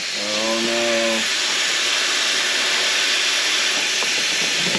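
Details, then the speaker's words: Intake manifold under boost pressure test: a steady hard hiss of escaping air that does not let up. It is leaking at the reused, likely crushed, 3D-printed gasket, and the throttle body also leaks. "It is leaking a little bit from this uh 3D printed uh gasket that I did."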